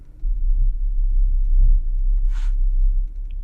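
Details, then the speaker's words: 2018 Genesis G80 3.3T Sport, 146 km, check engine light and hesitation; cylinder 2 misfire code from a chewed cylinder 2 ignition coil wire. Uneven, lumpy rumble and stumbling at idle in drive. "so I guess this is number two yeah so it's really misfiring at number two"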